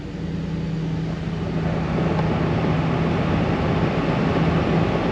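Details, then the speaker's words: 2013 Ford F150 blower that wouldn't turn off, after replacing the blower motor resistor: steady airy rush with a low hum building as the fan steps up, then it turns off and stays off; blower working normally. "It is electronic, but there you go. And then we can turn it off. Fan stays off. So, job complete."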